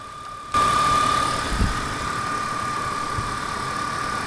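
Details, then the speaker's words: BMW E46 M52TU idling after DISA valve replacement: steady, even idle with a constant faint whine and no hunting or misses; normal idle. "เราสามารถติดเครื่องแล้วก็ลองถอดปลั๊กได้นะครับเพื่อทดสอบดูว่ามันยังใช้งานได้อยู่หรือเปล่านะครับ"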